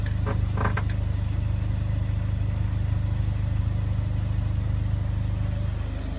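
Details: VW 1.9 diesel, first proper run without misfire: a few clicks at start, then even clatter at about 214 beats a minute with no skips; healthy, smooth idle.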